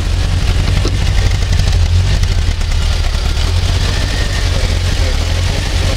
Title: Fiat 125p - Nierówna praca silnika